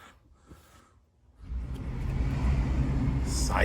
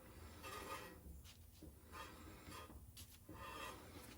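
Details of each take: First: 2009 Honda CR-V that had front-brake grinding when turning, caused by rust on the rotors: after the rust was knocked off and the backing plate bent back for more clearance, a test drive gives only road and tyre noise, quiet with no grinding. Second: 2009 Honda CR-V front wheel, raised, recently replaced pads like new: dry rasping scrape each turn, heard on both sides, from rust on the rotor rubbing; cleaning needed, not new brakes.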